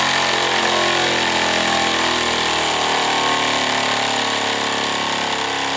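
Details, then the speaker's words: Wilesco D455 tabletop stationary steam engine, at temperature, full throttle at max RPM: very fast, even chuffing merging into a steady high-pitched buzz with no knocks. It throws oil from its total-loss lubrication. Normal full-speed running. "So yes, you can see what it can do, and it throws oil all over the place when you do that, obviously, because it is a total loss lubrication system. But that's what it's capable of, and it can rev very, very high, as you can see."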